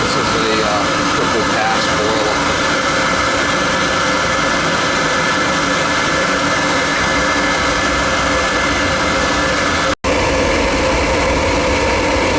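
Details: Riello oil burner during annual service, on heat call with thermostat turned up: burner lights and settles into a steady, even roar, no pulsing, rumble or sputter; started up nice and clean, normal operation.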